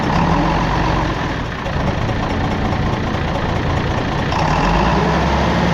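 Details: Galion crane with International D282 diesel, loud deep idle with uneven lumpy pulse and rhythmic exhaust chuff, rough when cold, runs poorly until fully warm; owner suspects burnt valve or cracked valve seat on cylinder number one, unconfirmed; after injection pump rebuild.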